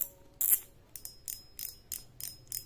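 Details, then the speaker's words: Okuma ITX 1000 reel drag clicker with a homemade spring fitted to make it louder: crisp, high, ringing clicks about three a second as the spool turns; drag clicker loud and working normally. "suara klikcker drag-nya Hanya seperti ini sangat"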